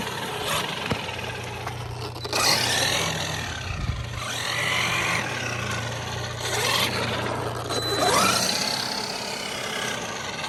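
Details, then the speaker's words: Traxxas Maxx RC truck with gear noise worsening at the track: rough, gritty grinding over the motor's steady hum as the drivetrain spins; the cush drive had failed and was replaced. "We noticed when we were last at that last track, I was hearing a lot of gear noises, and I kind of wanted to show you guys what I'm hearing."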